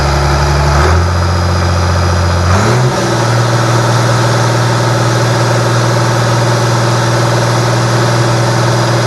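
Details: Rebuilt International DT466 diesel from a loader, previously knocking, test-run after the rebuild: steady, even idle with a low drone, revs dip briefly then settle, no knock or tick left; runs good.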